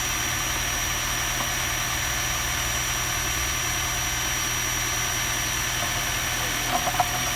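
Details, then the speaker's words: 2017 Honda Accord hybrid at idle: faint loose ticking about four per second over a hissy background, owner unsure whether from engine or battery charging; dealer called it normal, owner disagrees. "There is some noises. I don't know if it's from the engine or it's like when the battery chants."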